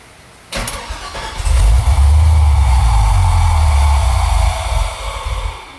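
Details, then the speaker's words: 1980 Camaro with Thrush muffler cranks and catches, then settles into a deep, very loud, throaty exhaust burble at idle; engine runs fine, just a loud aftermarket muffler. "Motherfucker loud, cuz."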